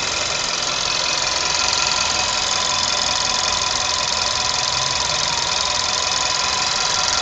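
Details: VW Polo 6R with the 1.2 TSI 105 petrol engine at idle: a quick, fairly regular light ticking, about three per second, sits over the engine sound; cause not identified.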